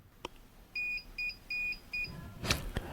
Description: My Dahua CCTV XVR suddenly started making a noisy beeping sound. This was caused by a No Disk alarm—my hard drive had failed, and the Dahua XVR was alerting me to the issue.